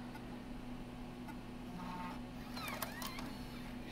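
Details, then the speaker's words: Macintosh IIsi floppy drive during restoration, blank disk inserted: quiet hum, then a short whirring mechanical chirp as the disk is taken in and ejected; eject gear not broken, drive normal. "Yep, it rejected it. That's good news. And the eject gear's not broke, at least not the process of degrading yet."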